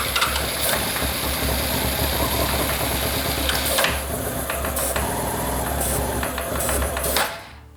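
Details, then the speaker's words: 2006 Honda CBR600 F4i, non-running bike, run on starting fluid: fires and runs unevenly with irregular stumbling bursts, then dies; owner suspects no fuel delivery from the injectors; rough running. "It will run on this stuff. Not well, but it will."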